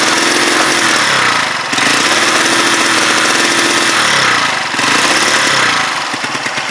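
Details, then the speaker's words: Huoniao HN125 motorcycle revved after a taped-and-sealed part was refitted, before the carb comes off; revs rise and fall unevenly with a ragged, stumbling note, it's not happy; rough running, cause suspected, not confirmed. "But as you can hear it when I rev it, it's not happy."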